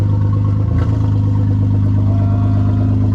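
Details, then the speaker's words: Maserati under accident repair, exhaust removed from the resonators back, only resonators left: deep loud raw drone with a brief rev, far louder and boomier than stock: loud exhaust with rear section removed. "Here's what it starts out without. It sounds like without an exhaust."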